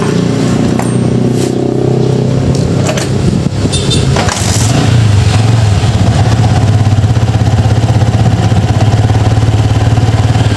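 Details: Yamaha Vixion motorcycle started after replacing a burnt stator coil, whose output had been 19–20 V instead of the normal 10–15 V. It cranks a few seconds, catches, and settles into a steady, even idle with a clean low hum: normal idle.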